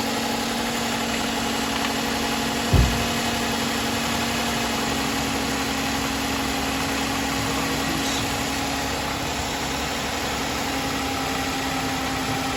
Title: VVT-I cam sprocket engine knocking. Toyota V6 3.5 liter #engineknock